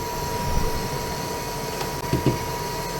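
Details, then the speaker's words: RV power converter under load while the furnace runs: a steady whirring hum with a fixed high tone, believed to be the converter's cooling fan. It stops when the furnace and load go off. "the fan only comes on on this when it's uh under a little bit more of a load when the furnace goes off the load goes away and the fan goes off so does the noise"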